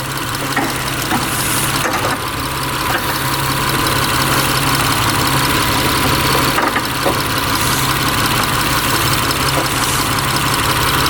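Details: Mitsubishi Eclipse 6G75 after rebuild, warming up: even idle with steady low hum and no clear knock or tap; sounds smooth before the tapping returned louder later.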